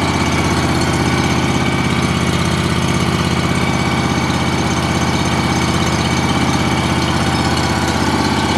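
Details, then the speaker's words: John Deere 757 mower, first start of the year after sitting since last fall, on fresh gas: fires right up and runs with a steady, even thrum, no knocks or misses. Normal running. "fired right up guys I have to say that I really have no complaints with this mall or whatsoever it's been a really good more"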